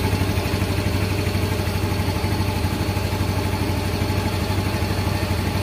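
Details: Yamaha Mio M3 (Blue Core) scooter after throttle/ECU reset: low, even putter at idle holding constant speed, no dipping or surging; previously idle started low then rose, now stable.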